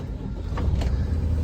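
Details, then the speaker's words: 2013 Freightliner M2 106 box truck with a Cummins 6.7 turbo diesel, automatic, 186,404 miles, ex-fleet. Fires right up on a very cold day with no smoke; even rumble settling into a steady idle. Healthy cold start. "starts right up sounds great it's a super cold day hey Robert super cold day uh but this thing just fires right up with no issues doesn't smoke or anything like that"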